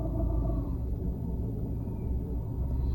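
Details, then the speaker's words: Cat S Fiat 500 Lounge idle after repairs, lambda still swinging system rich/lean: low rumbling idle that wavers unevenly; hunting is less severe, needle no longer going wild and no stalling stutter, but still not right. "it's not the needle's not going mental like it did before and it's not stuttering to a to a stall like it did before but it's still not right it's still not right"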